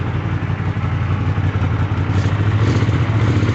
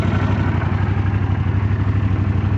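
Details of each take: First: Twin on first run after kit and cleaning: idles well, but revving brings uneven spitting, sputtering and popping over the twin's drone; owner suspects lean popping, cause unconfirmed. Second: Old Honda Silverwing that sat unridden for 12 years, warming up: low, even thrumming idle with a steady pulse, no ticking or clatter; running smoothly. Bike later found to have wreck damage (bent fork tubes).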